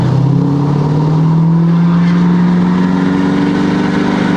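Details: Ford 6.7L Powerstroke diesel pickup on first drive after CP4 pump replaced with DCR pump, also hub actuators replaced: pulls smoothly at half throttle to about 70 mph, low drone rising with speed; normal acceleration.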